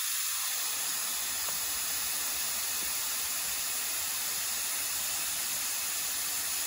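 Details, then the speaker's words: 1967 Chevelle dirt track race car sitting in the woods, tire being inflated: steady faint hiss with no engine, air escaping where the bead, long buried underground, fails to seal. "I think I already hear it coming out of that tire yeah yeah it is"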